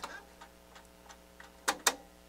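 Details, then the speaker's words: NAD 6155 cassette deck with the take-up spool not turning and no fast forward or rewind: light irregular ticking in play, then two sharper clacks, a faulty mechanism clicking. "fast forward i got nothing nothing spinning rewind nothing so what's going on with this thing pause plus it's making that god awful noise you hear that"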